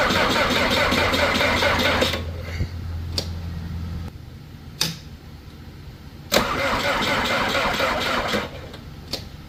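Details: Skid loader diesel in cold weather after fuel-system air was released: long steady starter drone that stops, then a few short cranking bursts, never fires; cranks but won't start.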